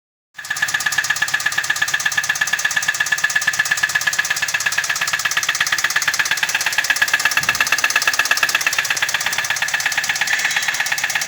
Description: The engine is knocking in this car. Engine knock noise.